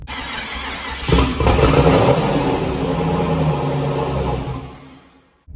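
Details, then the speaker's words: Car after everything was wired up: the engine fires, runs rough for about 3.7 seconds, then dies and only cranks; an injector o-ring blew out and the intake manifold cracked, with fuel over-pressure as the cause. "i went to go start the car up started up for like 3.7 seconds"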